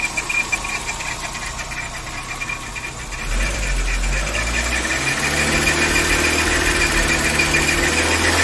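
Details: VW Saveiro G4 with AP 1.6 engine, top of cylinder head cover removed; a steady knock at about three or four per second grows louder with revs; owner suspects something related to the pulley or timing belt, not confirmed.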